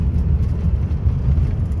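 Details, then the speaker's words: 1964 VW Beetle, 40 hp, 64K original miles, driving in third gear: steady low drone with no whine or grinding; manual transmission quiet and shifts smoothly; normal quiet gearbox. "there's third gear you hear the transmission just just nice and quiet just shifts like a like butter"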